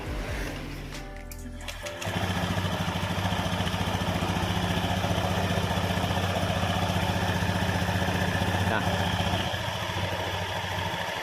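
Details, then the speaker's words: Honda Scoopy (K44) scooter after CVT repair with new drive belt, secondary pulley greased: steady even idle with no rustling or scraping from the belt drive; new belt still slippery until worn in, normal idle. "Yes, there's no rustling sound. It usually comes from the fanbell that has been installed."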